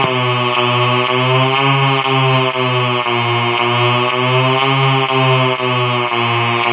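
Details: Colour-changing LED bulb on 4.5–6 V DC batteries: loud electrical buzz swelling and shifting pitch about twice a second as colours cycle; interference noise from the LED driver.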